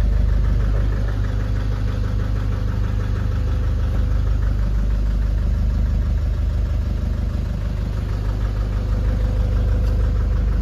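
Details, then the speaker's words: Nissan Urvan Estate E25 ZD30 diesel at low idle with an uneven, lumpy beat about three pulses a second and shaking; smoky, vibrates on gentle throttle, no check engine light or fault codes; misfiring. "Palyado. Palyado. Oo. Ito ang issue niya is mausok at saka nangangatal ng konti."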